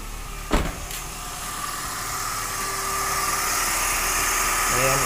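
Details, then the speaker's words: Toyota after radiator fan motor replacement and coolant top-up, engine started for test, fan should run low with aircon on: idle with steady fan whoosh building smoothly after a click, no rattle or scraping; new fan working normally. "gumagana na yung fan. Gumagana na siya mga boss, no. Okay na."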